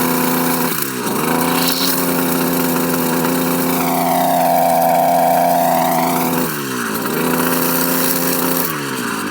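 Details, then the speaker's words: Two-stroke weed/brush cutter whose head won't engage or turn under heavy weeds; engine blips up and settles to an uneven idle several times, a worn clutch with damaged clutch housing. "ಎಂಥ problem ಅಂದರೆ, ಈಗ heavy ಕಳೆ ಎಲ್ಲ ಇದ್ದಾಗ ಇದು engage ಆಗಲ್ಲ, ತಿರುಗಲ್ಲ."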